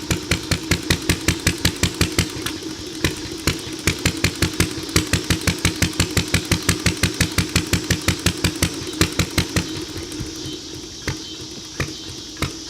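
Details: Ideal Model V throttle-fed upright engine, pull-started, with a carb sensitive to weather and mixture: crisp, evenly spaced exhaust pops, nearly three a second, holding a steady beat; running healthy.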